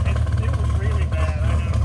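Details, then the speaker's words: Modified car at idle after a broken cylinder 5 spark plug wire was repaired and the exhaust was reworked: deep steady rumble with a gentle cam-like lope, now firing evenly on all cylinders. "So we repaired it, and it runs much better, but it still runs like it has a cam in it."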